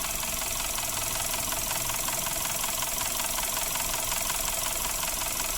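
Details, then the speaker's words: Suzuki Ertiga engine before repair, rough noise persisting after an oil change, oil thin like diesel: steady idle with a fast, even ticking rattle about three per second; VVT sprocket rattling from oil sludge. "ini adalah ska sus sebelumnya atau kasus yang masih trouble berikut videonya trouble Ertiga suaranya seperti ini"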